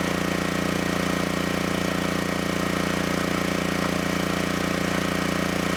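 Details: Generac GP6500E generator after repair of seized engine, warmed up, under heavy load up to 6,000 W near max: steady, even constant-speed drone with no hunting, knocks or misses; held 121 V, just below 59 Hz, running healthy.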